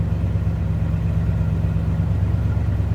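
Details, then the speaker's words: 1969 Chevrolet Impala convertible idling: deep, even rumble with a steady beat and no tapping, knocking or misfire, just like a stock 69 Impala should sound; normal idle. "Just like a stock 69 Impala should sound."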